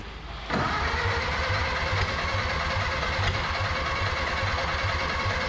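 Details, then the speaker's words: 1930 or 1931 Ford Model A coupe barn find, last tagged 1964, first start in about 60 years with choke held closed; lumpy, chuffing, hit-and-miss firing like a steam engine. It has compression, fuel and spark, but spark is suspected weak; a distributor swap is planned next. "that it's kind of like a steam engine or hit and miss hit and miss"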